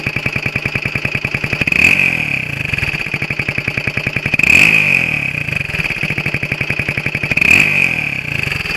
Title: XL125R エンジン異音2